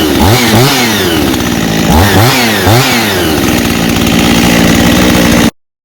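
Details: Husqvarna 51 chainsaw with aftermarket big-bore 55 piston and cylinder, high compression, after carburetor cleaning for no-start from sitting with old fuel: revs up and drops back crisply, then holds clean steady high idle without stumbling; running healthy.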